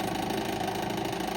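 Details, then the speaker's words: 10-inch Westinghouse Pacemaker desk fan after restoration, bearings oiled: steady motor hum with a fast, fine buzzing rattle, worse than before restoring and lessened when a part is pulled down; something loose vibrating, owner suspects bearings or cage, cause unconfirmed. "It still had a rattle, but after I restored it, it's worse. It's like horrible."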